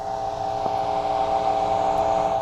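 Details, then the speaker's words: Carver C-19 amplifier on the bench, behaving microphonic even without tubes; steady low hum with sharp random pops switching between right and left channels; suspected around the +10 V zener bus, R513 and a scorched-looking 4558 op-amp U14. "and they're randomly between the right and left channel"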